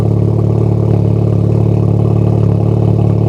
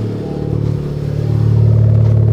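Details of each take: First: Honda Type R engine with long-unchanged spark plugs, idling: steady idle with a faint uneven stumble and slight shift near the end; mild misfire, also at wide-open throttle, owner suspects the plugs, not confirmed. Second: Honda Civic Type R with misfire and sketchy start-ups, after spark plug replacement, running without valve cover: catches quickly, smooth steady idle with no stumbling; normal start and idle.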